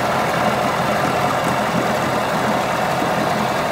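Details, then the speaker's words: Rebuilt-powerhead Yamaha 15hp outboard after ignition timing and carburettor tuning, tested with cowling on: steady, even idle, no misses or knocks, smooth low burble; not the best but idles pretty smooth. "Like, it's not the best, but with the cow, it's not too bad. That actually idles pretty smooth."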